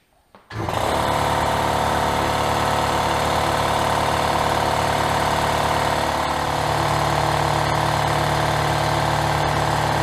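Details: Worthington 3-TTC air compressor, about 75 years old, heard from about 20 feet away: motor kicks on and settles into a loud, fast, even pumping chatter at steady speed; normal running.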